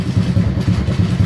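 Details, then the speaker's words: Honda Supra X 125 not started for several days: idles right away on the first try with an even, steady single-cylinder beat. Some vibration buzz comes from the license plate area. "dia langsung idle tanpa ada kendala l nih normal sih semuanya"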